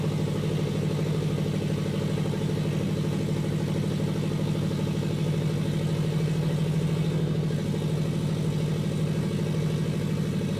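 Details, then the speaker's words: Custom turbo FRS at idle: steady rumble with a rough puffing pulse about two beats a second; huge exhaust leak because a pipe gasket didn't seal. "[Music] that huge exhaust leak on that pipe that gasket didn't seal them [ __ ]"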